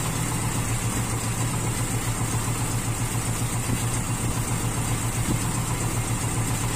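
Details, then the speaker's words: Carbureted Toyota Kijang Super with an unstable idle: a low, uneven beat with a stumble, as if one cylinder drops out. Plug no. 4 was found wet, so no combustion in cylinder 4 is suspected; a half-clogged idle jet or loose plug cap are also suspected. "kita tes jalan aja mati lagi enggak itu apa tidak terjadi pembakaran di busi nomor empatah itu copnya busi juga mahu keluar gitu"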